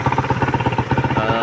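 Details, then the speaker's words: Suzuki Raider 150 motorcycle single-cylinder engine at idle, even thumping about eleven times a second with no knock after mixing in thicker diesel engine oil to cut bearing clearances; the earlier idle knock is gone and the fix worked: normal idle. "So malagatak talaga yan nung una na naka-idle siya, malagatak. Pero ngayon, diba, wala nang lagatak. So successful yung remedy natin."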